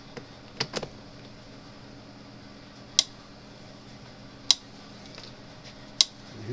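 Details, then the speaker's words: Cyclops Boss electric fence charger on 120 V input after the capacitors were charged during repair: sharp, crisp clicks about every one and a half seconds, a working pulse, though it is not flashing because of a bad fuse mount. "hear it clicking again, so that's a good sign."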